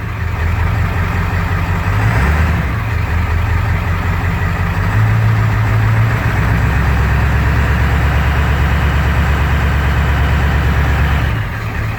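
Low idle rumble that lopes and surges unevenly, the beat wandering instead of holding steady: a rough idle just after start. Cause suspected, not confirmed.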